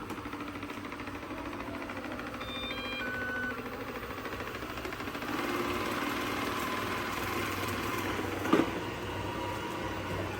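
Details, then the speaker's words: Second of two donated old Ecovacs Deebot robot vacuums after new batteries, filters and brushes: quiet, even motor and brush hum with no rattles or grinding where the owner says a noise usually starts; running smoothly, normal. "Yeah, but Mommy, usually that noise starts right now. Yeah, let's let it run. See how it does."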